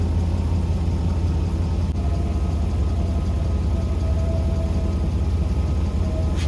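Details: 1985 Mercedes W126 SEC, restoration Part 1, left unworked about 2 years: steady, even cranking churn with no catch, stumble or rise in speed, even with ports 7 and 8 bypassed; owner guesses fuel pump, possibly fuel pressure, unconfirmed.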